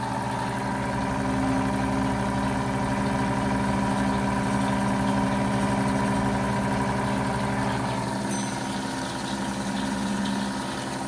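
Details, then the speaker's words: A rebuilt 90-year-old Gilbarco Model 80 (GMB 80) service station gas pump pumping diesel fuel gives a steady, even motor hum with a soft regular churn and no knocks or grinding. It runs smoothly and is fully operational. "She runs quite smoothly after 90 years."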